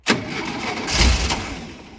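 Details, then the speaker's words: Over-40-year-old VW T2 Bay Window camper, cold, started after 18 months parked: the starter cranks with a brief rough catch that fades out without running, a crank no start, and the battery may be dying. "it nearly started on the second one it sounds like the battery might have died"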